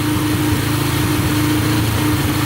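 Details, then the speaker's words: Yamaha TTR125 dirt bike after a bottom- and top-end rebuild: steady, even single-cylinder idle with no ticking or misses, the slightly high idle turned down; ridden briefly in first gear with no leaks. Normal, healthy idle. "runs and sounds good no ticking sounds really good and uh drove it in first gear for a little bit and everything seems pretty good no leaking at all so that's good"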